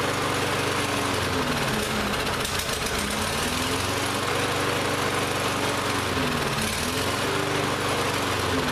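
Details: Lawn-Boy mower that ran last season but wouldn't start this season, after repeated start attempts: uneven running, pitch wandering and dipping as it hunts; carburetor still partly gummed up.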